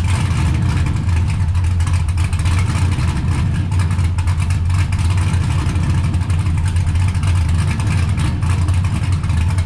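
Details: 1969 Camaro with swapped LS V8 and T56 from a GTO donor, built nine-inch rear, first start in a couple of months after ride-height shackle change; deep, even, choppy loping cam idle, no knocks or ticks; sounds good, normal idle.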